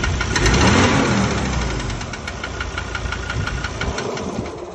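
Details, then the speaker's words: Ford Ranger diesel engine with only 66,000 km, no power loss or oil consumption: engine catches, then a sharp regular knock about three per second over the idle; injector suspected, possibly internal engine. "Ele falou, ó, o motor não perdeu força, não deu uso do óleo, mas tem esse barulho feio aí. Pode ser bico, moçada."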